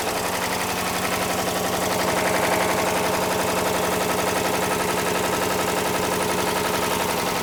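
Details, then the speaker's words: 2013 Jeep Grand Cherokee 5.7 V8, about 160,000 miles, restarted after adding a quart of oil: rough idle with fast light ticking clatter about three per second; top end clatter, cause not yet pinned down. "I don't know how much a quart is going to make a difference, but >> yeah, I don't think so. >> It's not sounding too healthy right now."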